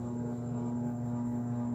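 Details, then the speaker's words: Arno 40 cm table fan, dirty, customer reports very slow rotation: motor gives a steady electrical hum straining to turn, blade seems loose, before cleaning. "Eita já vi que ele tá só fazendo aquele barulho ó querendo rodar"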